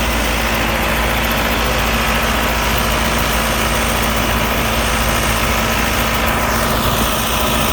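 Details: Allis Chalmers 6080 tractor after an overhaul, mowing with a mower deck using very little fuel. A steady, constant-pitch drone under load with no knocks, misses or surging: normal running under load.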